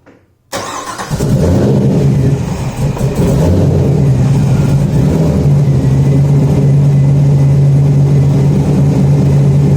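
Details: Car being tuned with a suspected faulty coolant temp sensor that misreads when warm: engine catches on the first turn and settles into a low, slightly uneven idle hum, pointing to an intake vacuum leak.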